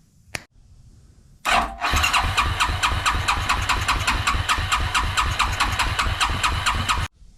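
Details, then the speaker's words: Suzuki King Quad ATV (owner thinks a 300, 1995-97), left outdoors for years, with an old non-pumping fuel pump swapped for a non-identical replacement: the single cranks steadily about two turns a second without firing because no fuel passes through the fuel filter to the carburettor. "right no go we're not getting fuel down through this fuel filter right here"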